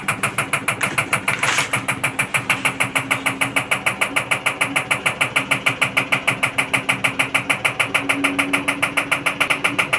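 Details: IFB Executive Plus MSC 10 kg 1400 rpm washing machine: fast even ticking about three per second over the running drum with bright clatter; abnormal mechanical noise, source unclear.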